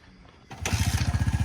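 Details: Honda XR100 or Yamaha TTR90 pit bike after a dirty, black spark plug was dealt with: single cylinder catches and settles into an even putter about twelve beats a second, no misses or smoke; normal idle.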